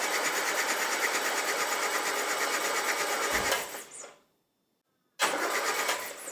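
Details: Land Rover engine under restoration, starter solenoid body newly earthed: steady even cranking at about three turns a second, stops cleanly then restarts; starter spinning engine normally, oil reaching the tappets.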